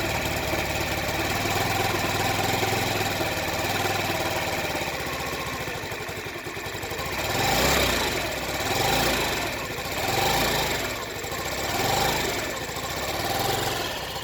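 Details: Stock Honda Ruckus scooter started on starter fluid, idling very rough with revs swelling and sagging about every 1.5 s unaided, only staying running at half to full throttle; owner first suspected a new replica fuel pump, but a new carb fixed it (gummed-up carburetor).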